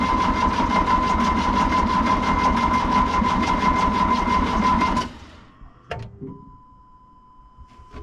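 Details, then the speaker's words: Excavator diesel after sitting a couple of months, fuel system had lost prime with air in it, no exhaust smoke: cranks about five seconds without firing. The engine stop motor is suspected seized partly closed, shutting fuel off at the injection pump. "But we think the problem now is the engine stop motor, which controls this lever down here. It shuts the fuel off at the injection pump and the motor just stopped."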